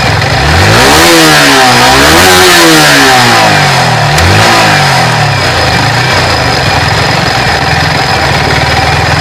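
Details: Yamaha R15 motorcycle after tappet (valve clearance) adjustment for a tappet noise: engine blips up and down cleanly, then settles into a steady, even idle without valve ticking; smooth and healthy.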